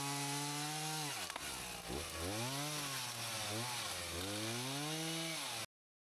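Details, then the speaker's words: Husqvarna 162SE two-stroke chainsaw, about 50 years old, repaired after not running, cutting logs into firewood: crisp howl that bogs slightly into the cut and snaps back to full revs; could use a touch-up but cuts well; healthy cutting. "I could do with a bit of a touchup, but um yeah, it's cutting pretty well."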